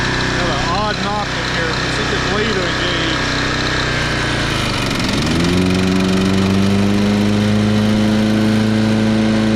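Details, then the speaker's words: 2010 Toro Recycler Personal Pace 20333 mower, first start on previous owner's botched new carburetor (stripped screw, makeshift bolt): hunts and flutters, then surges about five seconds in to a steady high-pitched drone, overrevving; cause not confirmed. "Engine's got a very odd sound to it. actually sounds like it's revving too high, but it's running."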